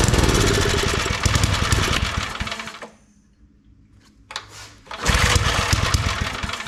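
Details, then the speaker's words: Old Briggs & Stratton 5 hp wood splitter engine after reassembly, spark confirmed, plug carboned; runs rough, dies to near silence, sputters back. Fuel starvation; carburetor needs parts, carb kit planned. "See, it's acting just like when I got it back together. It's not getting its fuel."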